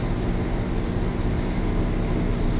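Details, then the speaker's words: Diesel generator on a Dynamax Europa 34SS Super C motorhome, run mid-winter after owner doubted anti-gel was run through it; shore power disconnected and heat on high as load: deep, steady drone holding speed firmly with a constant low rumble. Sounds normal. "So once I disconnected this, then the generator kicked in, and you can hear it."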